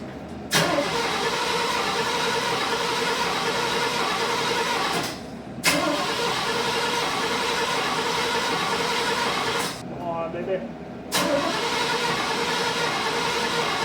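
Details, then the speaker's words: 1971 Chevy C10 with HEI, unstarted for a couple of months, on really old gas, with a leaking fuel pump and a full filter. Three long, even cranking bursts each stop without the engine catching; the cause is still unclear. "all right so this thing will not fire up I got fuel looks like the fuel pumps actually leaking a bit filter's full but uh should fire up"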